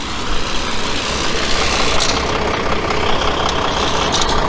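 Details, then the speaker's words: Diesel flatbed semi truck idling: a fast, tinny rattle rides on the engine clatter, coming from the loose front license plate holder. "I didn't realize how boys it is you hear that rattle it's the license plate thing on the front there"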